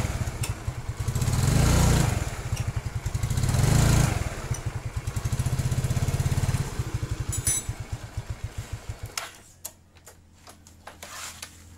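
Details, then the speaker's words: Yamaha Mio carburetor scooter, previously sputtering and refusing to move when throttled, now pulls evenly through two throttle blips and settles to steady idle after fixing the lifted vacuum diaphragm retainer in the carburetor; running normally. "ini udah bisa jalan ya untuk motornya"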